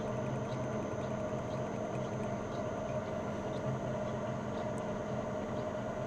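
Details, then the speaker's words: Old lathe with variable-speed drive set to 45 Hz, spindle about 205 rpm: quiet, steady gear hum with faint motor whine, even and unchanging. Normal running. "45 Hz à 45 Hz on est à 200 208 tours 207 tours donc on va mettre 200 205 tours rpm"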